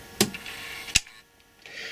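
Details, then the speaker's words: Sony GV-500 Video Walkman: switching NightShot on gives two sharp mechanical clicks about three-quarters of a second apart as the filter lens flips inside; normal switching. "You can actually hear it, literally a thing go clunk inside."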